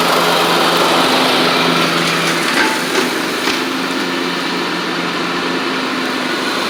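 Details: Troy-Bilt Horse XP on a replacement engine, cutting passes; it didn't want to start that morning. Steady, even single-cylinder drone holding pitch while the blades cut, no knocks or misses. Healthy normal running under load.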